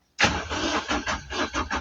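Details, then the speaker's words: 2017 vehicle with crank no start: even starter cranking about four beats a second, never catching. There is no power at the fuel pump supply wire; it was bridged afterward. "Yeah, that's the the wire which which which uh supply the power to the to the pump."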